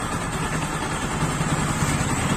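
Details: Bajaj Pulsar 135 LS motorcycle after a full engine refit and service. Steady, even single-cylinder idle with a low, regular beat and no knocks or rattles: normal idle.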